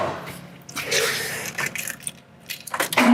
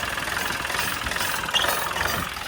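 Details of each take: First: Nice diesel knock. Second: LS MT3 35 (MT335) common-rail diesel tractor with rough surging idle: harsh, rattly clatter and sharp knock at idle from fuel rail pressure too high, overfuelling and stressing injectors; suspected suction control valve/regulator issue, possibly ECM fault.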